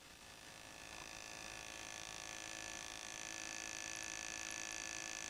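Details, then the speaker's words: Kawasaki 550 motorcycle with a severe miss, worst when cold, and lacking power; ignition coil pulsed with no spark plugs attached, microphone held close: thin steady hiss with fast faint ticking, about three a second; coil arcing internally, needs replacement. "you hear that noise so it's obviously breaking down inside isn't it so look I don't think there's any other thing that can be done is uh ignition coil needs to be replaced"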